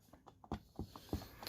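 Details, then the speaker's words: Spicer transmission on a mud mower, pan off, input shaft turned slowly by hand with sideways play: uneven light clicks and dull knocks; worn input bearings, which are replaceable. "It's the input bearings. Now, these input bearings are replaceable."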